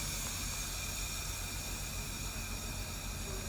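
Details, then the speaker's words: Peterbilt 389 car carrier with a newly installed J Ferrell air ride kit, lowered by the dash switch: a steady, even rush of air with no sputter as the bags dump; normal lowering. "Let me flip the switch so I can show you how it goes down."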